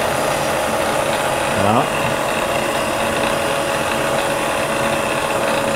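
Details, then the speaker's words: Variable-speed Bridgeport mill, sitting since November, first power-up in high range with the feed disengaged: motor spins up with a rising tone and settles into a steady whine with a slightly uneven, rough undertone; not quite smooth. "it's not quite smooth in there we'll bring her on down remember we're in the high range here"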